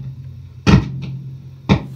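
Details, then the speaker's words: Handmade 20–30 W cathode-biased point-to-point tube amp, V1 and V2 preamp sockets already replaced: steady low hum broken by sharp crackling pops whenever the V3 tube is touched; bad preamp tube socket, being replaced. "the amp is on and it sounds pretty decent but if i jiggle the uh the tube here this tube and v and v3 listen hear that i'm just touching"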